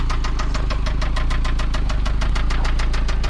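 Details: Toyota MR2 SW20 with 5S-FE engine, final run before a 3S-GTE swap: sharp steady ticking knock about eight beats a second over low idle rumble; owner describes it as rod knock.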